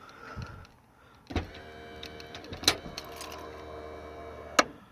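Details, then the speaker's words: 1995 car: latch clunk, brief motor whir drawing the trunk lid down, then a firm final thunk; the electronic trunk closer still works normally. "even this uh electronic trunk closer actually still works watch this"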